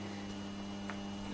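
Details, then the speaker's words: Petro Scott vintage reel-to-reel tape recorder, AC bias, 2-track mono, on first power-up playback: steady low mains-frequency hum with overtones; failed filter capacitor, fixed by replacing it. "I'm hearing a little bit of hum here but I'm sure that's nothing I can't fix let's see if it does anything I am about well it's playing my microphone seems to be making a lot of noise something's booing something's booing right now yes something definitely seems to be buzzing"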